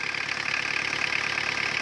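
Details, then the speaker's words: Old Mazda/Ford diesel engine at idle, with some thousand miles on it: a fast, even ticking rides over the steady clatter. The owner notes one component making noise but the source is unclear; otherwise it runs well. "listen to her other than making some noise from this thing you can hear this making some noise other than that amazing"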